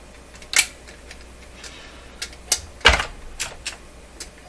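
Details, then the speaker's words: Telefunken Salzburg 5094W console record player, automatic changer turned by hand after freeing the big gear wheel: sharp dry clicks at uneven gaps about every second; mechanism skipping, cause unclear. "yikes i don't like that sound sounds like a deer skipping eh"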